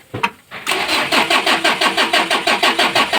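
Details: Mitsubishi L300 4D56 diesel engine hard starting every time: long run of rhythmic cranking pulses about three a second without catching; owner asks what to replace, fuel filter/fuel suspected, not confirmed.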